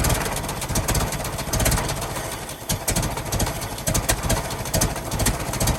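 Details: 1916 Federal Motors truck, 107-year-old four-cylinder that was seized and sat 50+ years, bottle-fed fuel, rusty radiator being filled with water; steady loping low thump with some mechanical clatter on top, runs evenly: normal idle.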